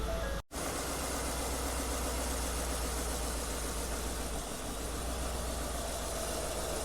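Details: Ford F150 5.0 V8 idling with a lumpy, uneven beat from a persistent misfire. Compression test shows cylinder 8 at only 55–56 psi versus about 120–135 on the others. Tight valves or a failed engine are suspected.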